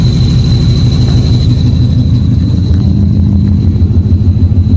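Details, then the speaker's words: Mustang with drivability issues: thick low rumble with a steady thin high-pitched howl over the idle; owner suspects a failing clutch slave cylinder, not the supercharger; unconfirmed; howling noise. "so if y'all listen clearly you hear that that little howling noise"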